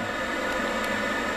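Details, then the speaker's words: Worcester combi boiler controlled by a newly installed Nest thermostat: pump running, gas firing after a delay because the heat exchanger was cool; steady, even rush of burner and fan with a faint hum; normal running. "it's taking a little while the heat exchangers cool so it's not fired up yet but it did fire it up and as you can hear it now running this"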